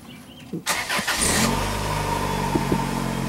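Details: 2006 Dodge car started after clearing codes and fresh oil. Engine cranks briefly, catches cleanly and settles into a steady, even idle with no misfire or stumble: running normally, smoother than before.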